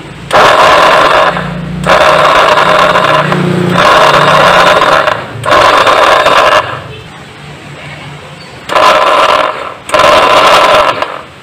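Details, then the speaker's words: Honda Beat starter motor, still sounding rough: short bursts of coarse, gritty hum instead of a clean whir. The cause was found to be a worn rotor bushing in the starter housing. "masih kasar ya Jadi kita bukan lagi kita ganti piring dinamonya sudah Hai setelah kita cek dengan seksama ternyata penyebab suara kasarnya itu berasal dari rumah angkernya ini rumah dinamo disebabkan dari bantalan rotor nya ini sudah Kaos"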